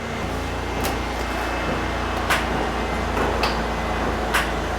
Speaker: got solenoid but we got no starter all right so it looks like we cooked the starter I can hear the solenoid ticking so the solenoid is good but the starter motor itself is not